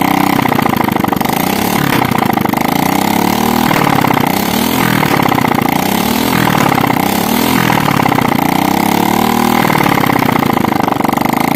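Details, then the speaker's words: Motorcycle still smoking white after an engine teardown, started with the exhaust removed: a loud, crackling open-pipe idle with slow rises and falls in revs but an even beat; normal idle, with oil wetting the exhaust area. "ya ya gini kenalpotnya sudah kita lepas untuk mempercepat durasi videonya ya karena terlalu panjang juga membutuhkan waktu yang lama untuk proses uploadnya ya ini kita akan langsung Nyalakan lagi ya ini ya pasti suaranya teka-teki teka-teki ya"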